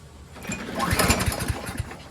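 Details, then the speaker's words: Discarded Craftsman self-propelled lawn mower, full of gas, key start not working; one pull after priming gives about five compression thumps fading out without firing: cranks but won't start. Owner suspects the primer, unconfirmed. "Feels good. Sounds good. Probably the primer. That's usually the problem."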